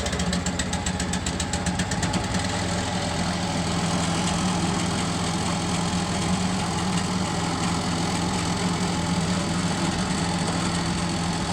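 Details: Tazmanian roof floor cutter repowered with new 13hp Honda GX390 petrol engine: steady, even single-cylinder thump at constant fast idle, no knocks or misses; normal running.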